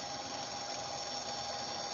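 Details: Motor on an ABB variable frequency drive slowing down as speed is lowered via potentiometer/keypad: steady high electronic whine, fixed tone near 800 Hz over faint motor hum; normal drive noise.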